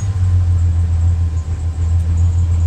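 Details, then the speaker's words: 2005 Chevrolet Silverado idling after the distributor cap posts were cleaned: a low rumble that dips and stumbles, with cylinders one and two still misfiring; traced to a worn distributor cap and rotor, replaced next. "cylinders one and two are still misfiring"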